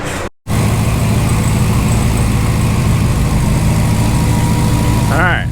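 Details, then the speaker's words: Hellcat 6.2L supercharged V8 swapped into a Ram 1500 regular cab, idling after a forgotten sensor was plugged back in. A deep, even idle with a light, steady blower whine and no clanking or clatter. Normal supercharger whine. "sounds a little better guys so she's a lot more happy that supercharger definitely sounds a lot more healthy you can just hear the normal wine but not all the clanking and clattering that we could hear before"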